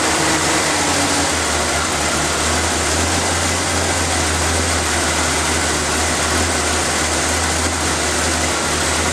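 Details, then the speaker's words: Engine started after the valve cover, vacuum line clip, air filter and cover were reinstalled, to listen for hissing air leaks; even steady idle with a constant low drone, no hiss or misses. Normal idle, no audible vacuum leak. "And start it up and listen for any air leaks. You'll hear them hissing if they are leaking."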